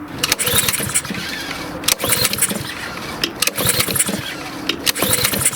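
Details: Lawnmower that won't start: repeated pull-starts with rope rattle and brief coughs roughly every second and a half, but the engine never catches and runs; cause of the no-start not confirmed.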